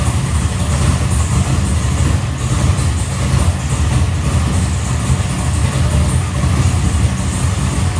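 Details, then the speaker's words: Carbureted engine during carb tuning, jets dropped: a steady low rumble, evenly idling, but the part-throttle mixture is still off because the intermediate circuit will not run right. "So I'll just let it run. It's still that part throttle. That part throttle still, man. That intermediate circuit, it just would not do right."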